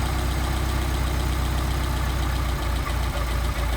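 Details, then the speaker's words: Rebuilt Solex carburetors idling at about 700-800 rpm during idle mixture screw adjustment: steady idle turns uneven with dips as the mixture screw goes too far, a lean mixture, then picks up when backed out. "a idle dropping off so I screwing the mixture screw in now we're backing it out you hear the idle pickup and it'll drop off again if we go too far"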